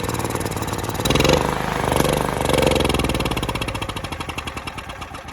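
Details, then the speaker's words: Mitsubishi MGE 4000 generator that sat unused for a few years, run on choke before carburetor cleaning: uneven, lumpy firing surges, fades, stumbles and dies. It won't run without choke, suggesting a dirty carburetor and stale fuel. "So I'm going to take the carburetor apart and clean it out. I'll show you how it runs now. Oh, maybe it won't run. Turn the choke. And even that, it still doesn't run well."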